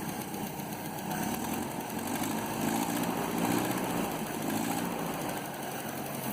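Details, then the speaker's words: 1967 Land Rover Series 2a 109, first run after head work and reinstallation, idling unevenly with the valve cover off: a faint light ticking from one valve not quite within tolerance rides over the engine noise. "and there's one valve I can hear that's not quite within tolerance but aside from that"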